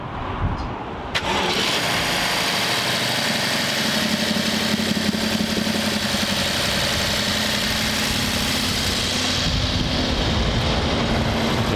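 Starter catches quickly and settles into an even, smooth idle with no knocks or misses; this V8 starts and idles healthy.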